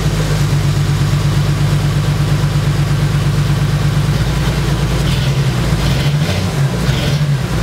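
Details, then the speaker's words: 1980 Toyota Supra barn find, first start in years on a new battery; loud, deep, uneven exhaust burble at rough idle because the catalytic converter was stolen. "reason that so loud is the guy we bought it from he said he had it sitting out on the street and somebody actually climbed under it and stole the catalytic converter"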